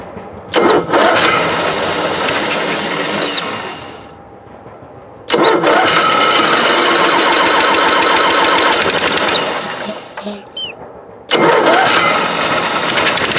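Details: Onan Marquis 5500 RV generator in a 1998 Bounder, 20+ years old, after carburetor rebuild, started with starting fluid and running on gas from a can: catches and runs with a steady buzz, briefly cutting out; still not drawing fuel from the tank.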